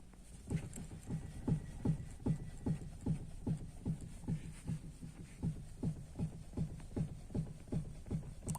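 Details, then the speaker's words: Chevrolet Celta parked, steering wheel rocked side to side; dull, evenly spaced knocks about two and a half a second at the steering. Owner suspects a worn suspension arm/bar near the wheel; not confirmed. "É só vocês mexer o volante de um lado para um outro aqui que você vai escutar um barulho diferente aqui na parte do volante"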